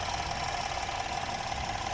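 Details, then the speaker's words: BMW F30 with N13 engine idling smoothly and evenly with a steady light hum, no ticking, hissing or stumble, after replacing a cracked PCV valve that was sucking air and causing engine noise; noise and leaks now gone. "Bueno aquí tenemos encendido otra vez el n13 ahí podemos ver que ya no está fallando"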